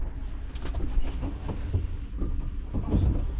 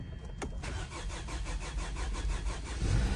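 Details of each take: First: 2011 Hyundai Sonata crank no start: uneven churning crank that never catches; a test light shows power at the pump but no fuel pressure builds, so the fuel pump has failed. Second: 2011 Hyundai Sonata after fuel pump replacement, previously a crank no start: brief crank, then the engine catches cleanly and settles into a steady, even idle with no stumbling, a healthy start.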